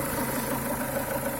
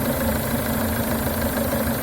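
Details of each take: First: Renault Duster 2.0 at idle: faint irregular quacking croaks over a steady hum, heard from the left side of the engine; the owner suspects the crankcase ventilation (PCV) valve and plans to clean it. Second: Renault Duster 2.0 idling after cleaning the crankcase ventilation valve and refitting its original membrane: steady, even idle, smooth low hum, no squeak or whistle; normal idle, though the noise later returned at speed.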